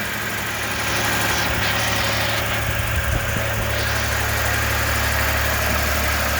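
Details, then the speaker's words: First start of a 1994 Toyota 4Runner after replacing the left-hand cylinder head, bleeding air from the cooling system; smooth, even idle with steady low hum, no knocks, ticks or misses; normal idle. "but it's running good. It sounds good and it's running smooth."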